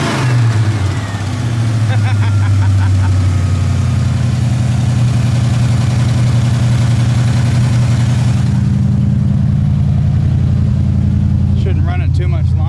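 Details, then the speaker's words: Old truck that sat for months starts without throttle and idles and revs with a lumpy, uneven beat and shaking; misfire, one cylinder down, suspected to be a rear cylinder. "yeah yeah so you hear that we're gonna be we're gonna be we're gonna be we got a cylinder that's down it's looking like it might be this one in the back here"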